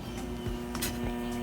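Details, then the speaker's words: Used washing machine in diagnostic mode: hot water inlet valve solenoid energized gives a steady low electrical hum with brief handling scrapes, so the valve is probably working. "that's a hot water valve turn it on yeah it's humming well it's probably working too"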